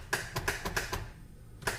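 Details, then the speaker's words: Polaris RZR XP1000 no-start after going through lake ice: after fuel pump priming, sharp dry clicks, about six in a second, a pause, then two more, with no cranking. The starter solenoid gets the ignition signal but fails to switch. "okay so here is what it's doing i always like to let the fuel pump prime and then doesn't look like it's even gonna wanna go so that clicking i'm sure is the solenoid the starter solenoid"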